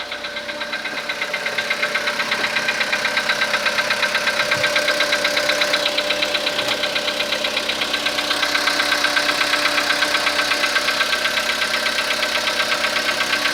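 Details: Cold start after overnight stand at −0.5 °C, 27,630 km, on a 2014 Skoda Rapid 1.6 CFNA: steady fast metallic ticking about two a second over the cold idle, an engine knock on cold start.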